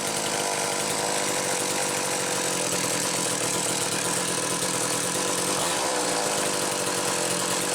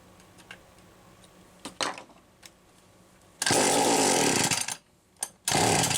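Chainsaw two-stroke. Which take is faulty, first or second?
second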